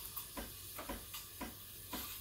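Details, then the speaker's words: Breville Barista Express BES870 steam wand at full pressure, tip near milk surface for latte stretching; steady hiss with soft rhythmic chirps about twice a second as air enters the milk. Healthy milk stretching. "you want to hear that hitting noise and that's when i'm bringing the tip close to the surface injecting air into the milk"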